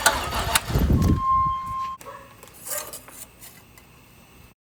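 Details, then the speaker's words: Trans Am under restoration, started on a jump box: rough cranking burst, then a steady high whine for about a second before it cuts out; odd starting noise, cause unknown and still to be found. "But it sounds kind of funny. Right? Doesn't that sound wonderful? I have no fucking idea what that is, so we're gonna have to figure this out."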